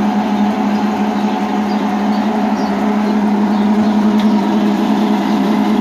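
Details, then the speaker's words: Electrolux LTC10 washing machine making noise when it starts draining and spinning. Loud constant low hum with a rough buzzing rattle from the drain pump, whose worn bushing lets the rotor knock the stator. The fix is replacing the drain pump. "no momento que ela começa a tirar água ela começa fazer um Ron vamos ver como resolve nessa lavadora este barulho"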